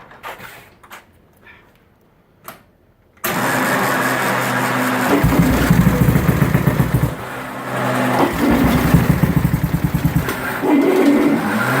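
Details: 1920s grass-track bike with a 350cc four-valve Rudge single, assumed to run on methanol through a large twin-float-chamber carburetor: it fires and runs with a crisp, even beat, blipping up and settling back. Healthy running.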